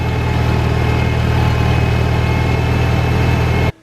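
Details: Farmall Cub tractor, out of gear with the brake set, started right after an oil change and greasing to check oil pressure: steady, even low putter at idle with no knocks or misses, then a clean cut-off; normal idle.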